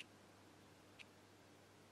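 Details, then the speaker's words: Lavet stepper motor from an old electromechanical quartz alarm clock, 1 Hz coil pulses, gear seen through a window: faint, crisp, perfectly even tick once a second against near silence; normal ticking. "half a revolution per second I think and that's making the tick or the sound the typical sound the t's alarm clocks make"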